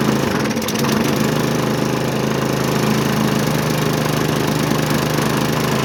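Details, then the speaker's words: Hyper Tough push mower with Briggs & Stratton engine, found discarded, oil full and clean: fires right up and settles into a steady even putter with no misses or knocks, clean idle, possibly burning off a little oil after being flipped. "I already checked oil before so I knew the oil was full it was pretty clean but this thing fires right up"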